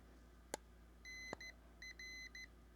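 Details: Newly built PicoKeyer automatic CW keyer kit for ham radio, playing a preset message through its very quiet small speaker: two sharp clicks, then a clean steady high tone keyed in Morse; normal playback.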